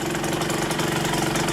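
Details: KSR Moto with Austrian-built AM6 50cc two-stroke engine after repair, starting without choke: quick, even putter at idle with no misses or knocks; the engine idles cleanly and healthily, with no leaks anywhere.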